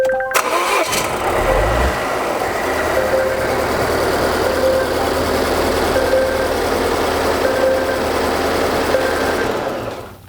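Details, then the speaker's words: 2016 Volvo XC90 cranks unevenly, then starts with a rough, lumpy, shaking idle; a cylinder lacks compression, scan shows cylinder 3 dead. "yeah you could hear it was very brief but you can hear it was cranking really strange and then it finally started and it's shaking pretty bad"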